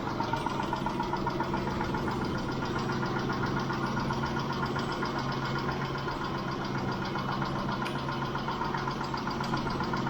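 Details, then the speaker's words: Mitsubishi Montero Sport 6G72 V6 idling about 5 minutes after start, after Liqui Moly lifter additive: light fast ticking persists warm, possibly now a single tick, owner suspects one failed hydraulic lifter; all to be replaced. "Они всё ещё стучатся . Вернее, возможно, стучит только один раз — слышен лишь одиночный стук. Обычно они стучатся группой, и всё."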